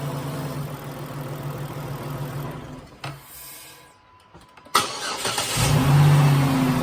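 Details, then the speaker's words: 2011 Dodge Nitro six after new rocker shaft fixed lifter noise and misfire: idles evenly, cuts out briefly, restarts and revs cleanly with no ticking or misfire; all cylinders there. "foreign I'd say that's a success all the cylinders are there seems to be running pretty well"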